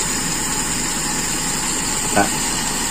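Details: Toyota Kijang Super carburettor engine after resetting idle speed and air screw: even, steady idle with one brief blip, no hunting or stumbling; now idles smoothly.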